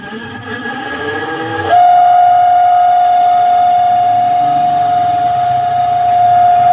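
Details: Spin dryer (spinner motor) spinning: a loud, steady, high squeal that holds constant. Brakes were checked and sit clear, the basket isn't swinging to the sides, and the seal looks fine.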